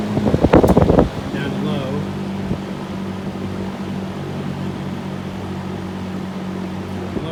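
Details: Vintage Berns Air King 20in box fan, motor just oiled and dust cleaned, switched to high after an earlier odd sound (possibly paper on windings); steady even hum, smooth low drone, no rattle or scrape after a brief handling bump; normal high-speed running.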